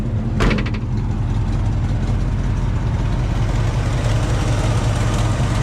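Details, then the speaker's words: 1969 Chevrolet Chevelle V8 with automatic, warm after a test drive (about 180°, oil pressure 40), hood open; deep, lumpy idle with a faint puffing tick from an exhaust leak at the back on the driver's side; motor otherwise quiet. "So you can hear the exhaust leaks coming from the back over here on the driver's side."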